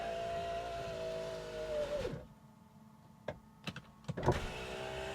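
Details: 1998 Jaguar XK8 project non-runner, ignition on, engine off: window switch pressed, smooth even motor hum for about two seconds, then a clean stop and a few light clicks. Power window operating normally.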